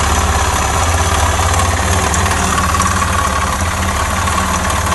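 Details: Suzuki Djebel 250XC motorcycle: loud rattly idle with uneven metallic internal knock about three to four per second; the bike would not start again afterward.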